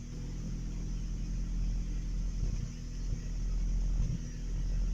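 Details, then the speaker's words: Truck with the throttle rigged by braided fishing line: low, lumpy idle rising and sagging unevenly as if about to stall; owner thinks it is running out of gas, smells fuel, and notes it still backfires; cause unconfirmed. "No, don't run out of gas. Please. No. It's so gonna die. Oh, it doesn't sound good."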